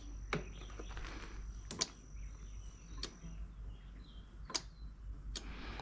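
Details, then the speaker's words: Cub Cadet XT2 Kohler engine with gas mixing into crankcase oil; about five sharp clicks in six seconds over quiet hum, fuel shutoff solenoid working but carburetor needle not closing: solenoid clicking normally. "mean the solenoid is working it's just that needle's not closing for some reason"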